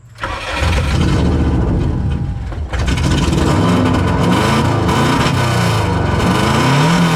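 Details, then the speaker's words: Subaru running on autotune: cranks and catches, dips and stalls while holding revs, then restarts with uneven throttle blips. It has no working idle control valve, so idle is set by screw and needs warm-up. "See, I hold it there. Makes a few changes. It just stalled. Let's see if I can get it to start."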